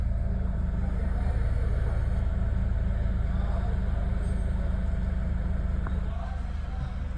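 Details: Chevrolet Cruze, previously no start and ignition shutting off, ECU/ECM repaired; clutch pressed and push-button start: engine catches, settles into steady low rumble, even idle without knocks or misses; ECM light now comes on; normal idle after repair.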